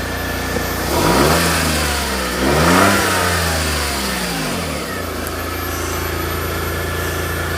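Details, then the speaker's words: Smart ForTwo after replacing a seized alternator and failed starter; engine picks up cleanly through two quick revs, drops back and settles into a steady even idle, now running and charging. Normal revving. "there we are folks officially running and officially charging"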